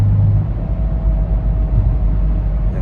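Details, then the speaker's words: BMW F82 M4 after upgrading to a solid diff plate with solid titanium bushings: a faint steady humming/whining from the differential over road rumble while cruising at low RPM or coasting. "So, one of the sounds that it makes is the car will hum it has like a humming/ winding noise while you're driving."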